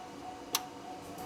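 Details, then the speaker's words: GMC/Chevy truck with 6.0L engine, code P0449: with power fed directly to the EVAP vent solenoid and toggled on/off, two crisp single clicks; solenoid works normally, fault is in its power feed wire. "so our solenoid is now clicking so what I'm doing here is I'm just turning this on and off listen good"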